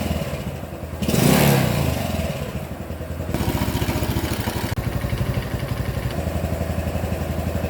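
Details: Honda Super Cub 110 idling: light, fast clatter over exhaust beat, about four per second, steady; top-end tick, suspected piston slap or cam chain, cause unconfirmed.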